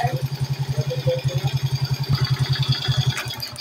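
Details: Suzuki Smash 110 after fixing a no-start and cleaning a dirty part: steady single-cylinder putter at about three and a half beats a second, even and unbroken; idles normally, charging system next to check.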